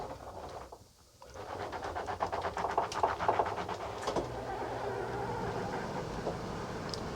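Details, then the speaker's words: Coachmen Sportscoach 380MBS Class A diesel pusher on Freightliner XC, slide-out won't retract without a push; labouring motor whirr with rapid uneven ratcheting, about four pulses a second, over a hump; owner suspects worn motor, binding on sagging flipper board. "yeah that's just not good out is fine once it gets over that hump right there seems to move okay"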